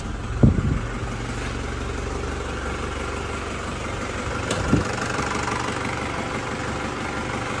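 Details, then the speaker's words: 2003 Panther Touring turbo diesel (in use from 2004), engine dry with no oil leaks, seals intact. After a couple of bumps it settles into a steady, even low clatter with no misses or knocks; characteristic old Panther turbo sound, normal idle. "Suara mesinnya masih ciri khas banget ya, masih ciri khasnya Panther turbo tahun tua. Nah, masih ciri khas banget."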